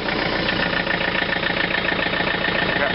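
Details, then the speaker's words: Tractor (2720 with 110 TLB) diesel after glow-plug cold start at about minus 12 to 13 degrees: steady even clatter at about three and a half beats a second, no misses or stumbles; cold engine idling normally. "I think it's about minus 12 or 13 right now. So let's turn it on. Try to give it some glow plugs here. See if that poor girl will start up."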